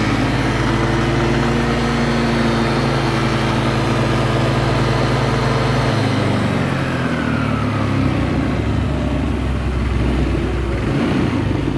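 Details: Yamaha Lexi 125 scooter after engine rebuild following running low on oil (worn piston): smooth, even revving settling to a steady idle, no knocks or rattles, far better than before; slight smoke from a wet exhaust.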